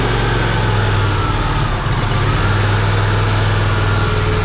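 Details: TimberKing 1620 sawmill engine after swapping the undersized stock battery for a larger-CCA motorcycle battery: it fired straight up and holds a steady, even idle with a smooth low thrum, no knocks or misses. Normal idle.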